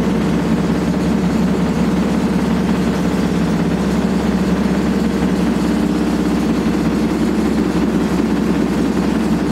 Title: Old Hotpoint AQUARIUS 6kg WMA58 Washing Machine Spinning with very Bad Bearings